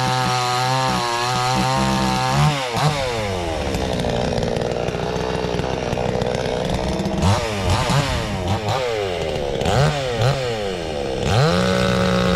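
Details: Cheap $129 62cc Garwinner Chinese chainsaw, compared against a Husqvarna 460 Rancher, bites into wood but revs hang back, never reaching a clean high scream. It isn't opening up fully; owner will tweak it after more run time, cause unconfirmed.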